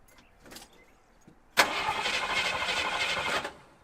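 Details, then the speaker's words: 1978 Jeep J20 with 360 V8, sitting 15 years, strapped-in battery: starter catches cleanly and it fires right up without gas into an even, steady run with no stumble; it has a bad exhaust manifold leak. "threw a strap over the battery don't worry about that was she fires right up without even hitting the gas watch"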